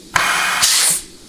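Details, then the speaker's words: 4L80E rebuild, case air check of the overdrive clutch: a sharp hiss as air goes in, then a short rush of trapped air escaping a split second after the trigger is released, a good sign of a sealing clutch. "Okay, and the other thing is you're hearing trapped air whooshing out of the circuit. So when you put air into it, okay, it takes like a split second for the air to actually escape after you've released your finger off the trigger. So that's always a good sign."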